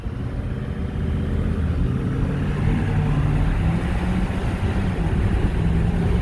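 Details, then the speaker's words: 2021 Ford F-250 Tremor Super Duty 6.7L turbo diesel 4x4, after AMSOIL 75W-140 rear diff fluid, Banks Ram Air diff cover, new oil and fuel additive, cruising: steady low rumble, no whine, howl or clunk; drivetrain smooth and quiet. "Wow. That's smooth. Holy cow. Oh my God. This thing's as quiet as a Tesla. Holy cow. That is crazy how quiet that is."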